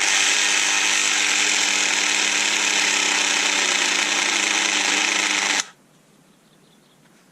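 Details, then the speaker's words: Bosch delta sander (bought as faulty) run at variable speed setting six: loud harsh raspy buzz throughout until switched off, with a burning smell; rough noisy motor, cause not yet found. "there is yeah and it smells burning we've got another fault the noise from this is driving me up the pile"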